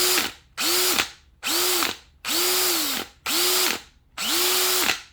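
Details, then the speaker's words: New Bosch 975 drill: each short run winds down with a quick clack right as the trigger is released, on any setting, not in hammer mode; impacts felt through the drill, owner unsure if normal. "Just got a new 975 drill, and whenever you let off the trigger, it makes a funky sound."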